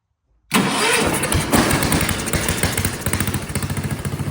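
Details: Vintage Kohler motorhome generator, big flathead engine: starts at once, then stumbles and lurches instead of settling into an even chug. Owner suspects low gravity-fed fuel pressure and a loose condenser; seems to want choke.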